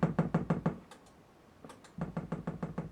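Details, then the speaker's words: Kenwood amplifier under bench test into test speakers: dull heavy thumps about six a second, pausing then resuming; popping into speakers caused by a bad rotary input selector switch. "okay it's a bad rotary switch there we go everything is popping correctly oh my speakers please"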